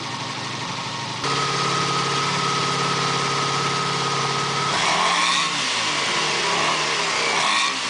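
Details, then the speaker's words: 1987 Honda VF700C Magna V4 after carb cleaning and 110 main jets in all four carbs, crankcase breather hose removed, not yet gauge-synced: steady, even idle with clean throttle blips; normal. "I still could test it. It sounds pretty good."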